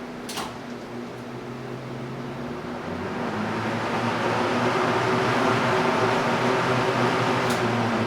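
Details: Small vintage desk fan, a mint thrift-store rescue, switched on high: even motor hum with a smooth rush of air building as the blades spin up; running cleanly.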